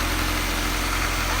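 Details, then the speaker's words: High-compression B20 swapped in for blown B18, first start after install: super smooth, quiet, even idle with steady low hum, no ticking, knocking or puffing; normal idle. "make sure the engine turned on and as you guys can see it's super smooth idle was perfect we're just waiting on that list"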